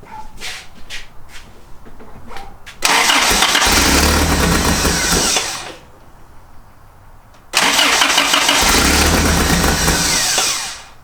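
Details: 1986 Toyota 4Runner being revived: two cranking bursts of about three seconds each turn the engine over evenly but it never catches. A spark was seen earlier, and the owner adjusted the air screw and fuel resistor but suspects something else is wrong.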